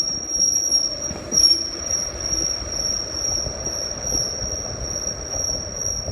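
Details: Rail car (flex) wheel squeal: a piercing, steady high-pitched squeal holding over the low running rumble; cause not yet known.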